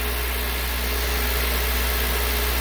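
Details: 2003 Honda CR-V K24 with code P1279 after fitting a new VTEC solenoid assembly, held at 2,000 rpm with oil pressure near 60 psi: smooth even hum, no ticking, knocking or hunting; old clogged solenoid was the fault.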